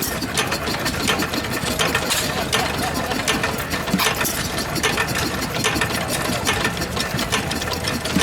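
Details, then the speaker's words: 2 horsepower antique stationary engine at the 2019 Georgian Bay Steam Show: crisp, evenly spaced firing beats in a steady rhythm, no stumbles or knocks; sounds nice, running well. "2 horsepower. Nice. 2 horsepower. Oh, that one sounds nice, doesn't it?"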